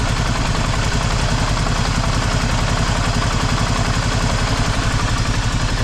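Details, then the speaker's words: Vauxhall Cavalier, after taping a shorting terminal that had it running on three cylinders: steady but slightly lumpy, uneven idle thump; rough idle, owner suspects coolant temp sensor wiring. "All right, it's settled down now, but I've got my suspicions about my coolant temp sensor wiring."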